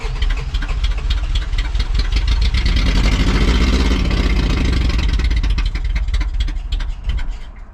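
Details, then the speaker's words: 1st gen Toyota 4Runner, 22RE, 5-speed, long-sitting: deep lumpy rumble with uneven pulses, never steady; some oil pressure, sounds bad, oil found in airbox, timing to be checked. Rough-running engine, cause unconfirmed. "I don't know. Doesn't sound good. So I'm gonna go ahead and I'm going to start tearing into this thing and seeing what it needs."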